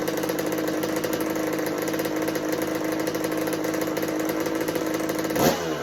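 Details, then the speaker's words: 1986 Kawasaki KX125 two-stroke on its repaired choke, petcock on and float bowl refilled. It gives a steady, fairly high buzz and won't drop to idle. The owner suspects lean running from too little fuel, perhaps pilot jet or needle position. "I'm like, what else could be causing this bike to run lean and not idle? It's It's not getting enough fuel"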